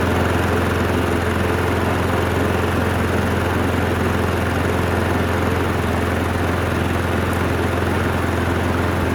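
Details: Abused Craftsman lawn mower after carburetor cleaning: steady, even low drone with no surging, misses or hunting for nine seconds; the engine runs smoothly on the cleaned carburetor.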